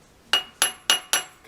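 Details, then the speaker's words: Aluminum rod clamped in a milling vise with a test vise-jaw tool: four sharp, bright taps, solid with no hollow ring, showing the part is seated down on the parallel; feeler gauge won't go. "That sounds like it's down on the parallel."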